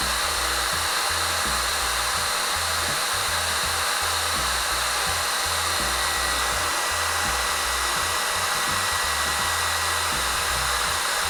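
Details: Yihua 878D soldering/hot air station, handpiece blower fan running after repairing a connector fault: steady airy fan rush with faint high tone, even and unwavering; normal hot air gun fan running.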